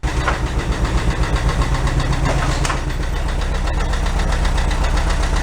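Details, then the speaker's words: 1968 VW Double Cab truck, restoration started then stored several years in a tent garage: light regular ticking, about four a second, over steady idle from a hydraulic (not mechanically adjusted) lifter not pumping up; common on these. "I put in another lifter in it but sometimes when you run them you're coming go away they're hydraulic lifters and this not mechanically adjusted"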